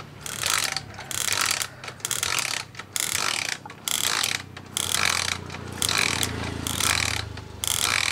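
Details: Suzuki motorcycle ignition coil bench spark test on 12 V with pulse generator: bright loud crackling snaps about once a second; Suzuki coil gives a big, strong, blue spark.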